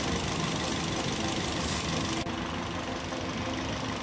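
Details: Toyota Yaris (Bakpao) four-coil engine idling with the coil bolts removed for one-by-one testing. Shaky, uneven idle with a faltering, irregular pulse under the hiss and visible vibration. A misfire, with a weak or dead coil suspected.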